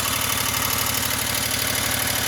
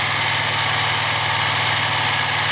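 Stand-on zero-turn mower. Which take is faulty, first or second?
first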